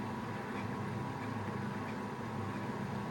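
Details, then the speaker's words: Fisher & Paykel Smart Drive washer during spin: constant rough rumbling roar with no clean hum underneath; this machine has faulty drum bearings making the spin noisier. "this part is going to be slightly noisier on this machine probably wasn't a good example to use cuz it's got faulty bearings"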